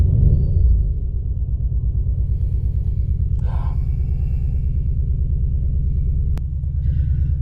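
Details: Ford Focus ST 5-cylinder, after new MAF sensor fitted: deep idle rumble with uneven, stumbling beat about three pulses a second; still misfiring; owner wonders about bad fuel or water in a plug, cause unknown, fuel nearly empty.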